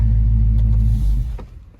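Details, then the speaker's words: 2020 Dodge Charger Scat Pack at Copart, revved: a loud, deep V8 rumble held steady, then easing off, with no faults heard; the throaty note may mean a mid-muffler delete; the engine sounds healthy. "it does sound like it has maybe a mid muffler delete so it put it should sound pretty good let's find out all right"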